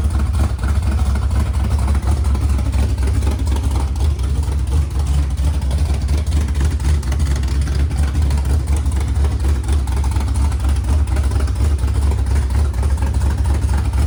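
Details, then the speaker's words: Freshly installed 410 LT1 (4" Callies Magnum crank, M&M-ported AFR 210 heads, mild hydraulic cam) in Pontiac Formula, no exhaust yet: deep, steady V8 idle with even low burble, no misses or ticks, firing on all eight; normal idle. "But it sounds like it's running on all 8, and I just needs an exhaust system."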